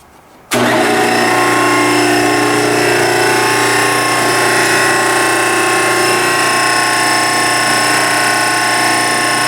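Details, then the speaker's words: Log-splitter hydraulic forging press driven by an old 3 hp repulsion induction motor pulling 17 amps on 220 V single phase: starts abruptly, then a steady hum with a constant high whine and no knocking. Noisy but normal, quieter than the previous motor. "It's a repulsion induction motor, so it's not a real quiet motor. It's got a high-pitched whine to it, but it's a lot better than what I had on there before."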